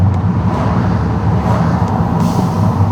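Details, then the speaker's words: VW Eos, in-cabin on a test drive after fitting a diverter (dump) valve spacer: a steady deep engine drone builds evenly under load with no flutter; the earlier misfire, stuttering and stumbling are gone and it idles well. "Oh yeah, you can hear it now. It's so much better. The car is driving 10 10 million times better."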